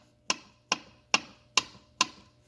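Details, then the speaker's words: 1987 Suzuki LT250R engine with head off, scored cylinder wall; five sharp metallic clicks as the loose piston is rocked by hand, worse lower in the bore: piston slap. "Got piston slap. So it's better. It's obviously the lower that the piston is, the more slap it's got, more towards the bottom of the crank,"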